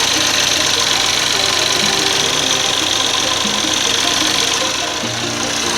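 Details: 2013 Chevy Equinox after replacing the high-pressure fuel pump, line and roller lifter per a TSB, plus a motor mount. Steady idle with a light, quick direct-injection fuel-pump tick; sounds healthy and runs fine.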